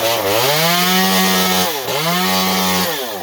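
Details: Stihl MS192T chainsaw. High buzzing revs sag sharply near two and three seconds instead of holding steady, so it runs rough and unsteady.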